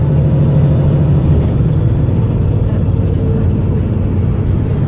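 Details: Arriva North West 3008 (MX59AAY) VDL SB200 bus diesel under full-throttle thrash, recorded December 2017: heavy drone under hard load with uneven, stumbling beat, engine misfiring.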